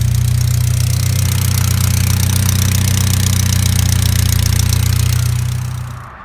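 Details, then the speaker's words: Hyundai Genesis with a recurring exhaust leak, which the owner plans to fix at the next tune: loud, deep puffing idle at a steady beat of about four per second, far too loud for stock, then shut off; exhaust leak. "Oh! It started! I'm pretty sure you guys can hear that, but it's leaking again. So I'm actually gonna get it fixed when I get it tuned, so you guys can hear how loud that is."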